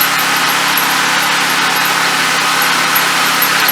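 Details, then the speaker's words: Turbocharged drift car on a test drive, after the wastegate V-band came loose and with a suspected oil T-fitting issue: harsh, raspy high-pitched scraping hiss instead of a clean spool whistle; turbo found destroyed. "I can't tell what the turbo is. That's a weird noise. Let's get it back to the garage."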